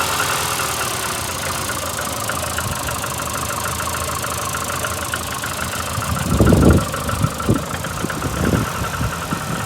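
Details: VAZ 2115 8-valve engine, cold idle, a week after a head gasket failure at cylinder one and new antifreeze and 5W40 oil: lumpy, uneven idle with irregular thumps and stumbles, knocking, check-engine light on; misfire, cause unknown, owner suspects worn valves.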